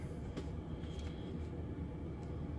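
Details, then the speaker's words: 2018 Thor Four Winds 30D Atwood RV furnace that only starts after thumping the RV's side, heard from inside after banging the wall: steady low hum with an even rush of air, no knocks or scraping; blower running normally. "You can hear the fans on. It's actually heating up in here."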